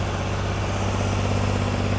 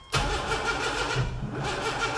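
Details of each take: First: Rebuilt junkyard 4.3 V6 with cam and gapped rings in a turbo AWD S10, fired right up once timed on the correct one of two crankshaft marks: a steady, even fast idle for warm-up and ring break-in, no knocks, ticks or misses. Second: Junkyard 4.3L V6 with cam and turbo, in an AWD S10 pickup; steady rhythmic cranking about three beats a second with fuel and spark but no firing; plan is fresh spark plugs and rechecking timing.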